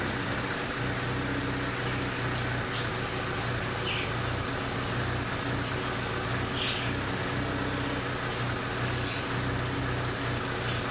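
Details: 2008 Hyundai Sonata 2.4 petrol engine idling with a low, uneven hum from a cylinder misfire.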